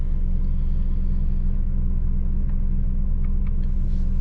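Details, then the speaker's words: Chevrolet 2500 Suburban V8, cold weather, after alternator replacement (codes P0115 P0118 P0174 P0622): deep smooth even idle just over 1,000 rpm, no misfire or shaking as before; sounds healthy. "it's idling at you know just over 1,000 RPMs but it is pretty cold out"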